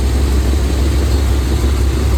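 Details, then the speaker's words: Old Chevy truck idling; low, even rumble, steady beat, no knocks or misses, quiet; a little smoke at start, now much cleaner. Owner notes clumpy oil in valve cover area. Normal idle. "It's nice and quiet. Sounds better. It did have a little bit of smoke to start with, but as you can hear it, not too much of a smoke anymore."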